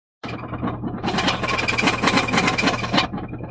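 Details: Subaru Impreza (about 2018): loud, harsh rhythmic knocking over a steady engine hum that keeps getting worse, a spun rod bearing hammering in the bottom end.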